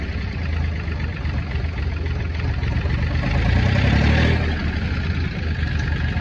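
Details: Ford Industrial 420 diesel backhoe, reportedly unused a month or two, held at high idle with a rock in the throttle: fast steady even beat, clean throttle response, no knocks; healthy.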